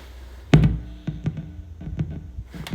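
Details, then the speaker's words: TC Electronic June-60 chorus pedal giving faint, irregular popping through the amp about once or twice a second with no notes played; persists with different cables, power supplies, 9V battery, wireless system, mono or stereo, and distance from amp; cause unknown. "king dude I'm still getting a horrible popping noise I've tried again I've tried different cables for this guy I've tried different cables for this guy to make it work it's not working dude all the popping still keeps happening"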